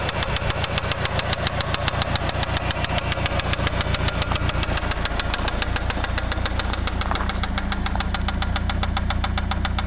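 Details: Eagle Talon ESi petrol engine idling with a heavy, steady knock about three or four times a second, rod knock before an engine rebuild.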